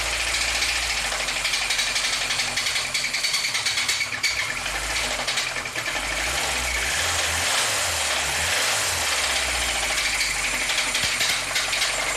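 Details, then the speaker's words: 2004 VAZ-2109 1.5 injector that stalls, pulls poorly and uses a lot of fuel: a steady deep knock at idle in time with the crank. A plastic bag found in the oil pan is suspected of blocking the pickup and starving the engine of oil. Rod bearings are suspected and play was found. Rod knock. "Маю підозру на те, що із-за пакетика забило маслоприйомник, із-за чого було масляне голодання, із-за чого розмолотило мотор."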